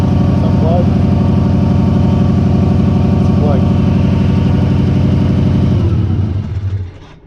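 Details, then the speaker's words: Subaru idling rough: a heavy, loping idle that stumbles regularly about four times a second before dying. The cause turned out to be a failed idle air control valve (IACV). Rough idle misfire. "this baby is misfiring so check all your sparks check your injectors"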